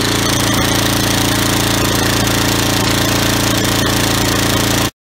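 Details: Snapper 10 HP riding mower, carburetor previously cleaned, rough chugging and stumbling under blade load, blowing white smoke and stalling; float needle not seating floods it, leaving crankcase oil nearly solid gasoline.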